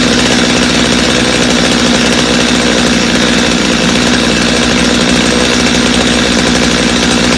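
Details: Customer's Stihl chainsaw after reassembly, original Bosch spark plug, started from full choke; steady high-revving two-stroke buzz, even and unbroken, no stumbling or surging; idle a little high but otherwise healthy, little carb adjustment needed.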